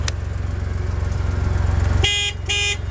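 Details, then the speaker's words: Joyner Renegade R2 4x4 with 5-speed manual, battery recharged: two short clear horn toots over a steady even idle; horn works. "The horn works."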